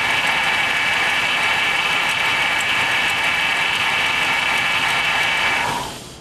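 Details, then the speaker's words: 2006 GMC 5.3 Vortec V8 just started after about four years sitting, no oil showing on the rusted dipstick, with an exhaust leak: harsh metallic clatter, three or four raps a second, over a thin idle, very rattly and clunky. Unhealthy idle. "whew does not sound too healthy boys very rattly and clunky"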